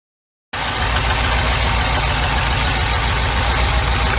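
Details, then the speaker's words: 1991 Nissan Sentra B13 GA16DE idling with an intermittent misfire and no codes: an uneven, lumpy beat about four stumbles a second. Cylinder two is dead and the plug wire is ruled out; a dead fuel injector is suspected. "so i think i have a dead fuel injector on number two cylinder and that's our situation that we have here"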